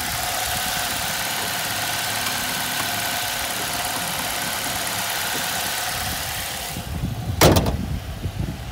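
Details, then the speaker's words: 2006 Ford Fiesta ST after exhaust heat shield and back box repair: quiet, even idle with soft steady hum, no buzzing or rattling from under the bonnet; healthy idle. "Can't hear anything under that bonnet. I think I've done alright there with the exhaust notes. Got a lovely idle."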